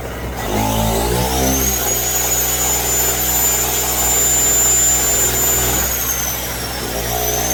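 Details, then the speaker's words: Pulsar 1200W portable generator running under load (shop vac) with the fuel lever shut off: a steady high drone with a thin whine, then a sudden sag and recovery as it starves. It took a couple of minutes to run out of fuel. "So, you can see it took it a couple of minutes just to run out of fuel. So, it is pretty damn good on fuel."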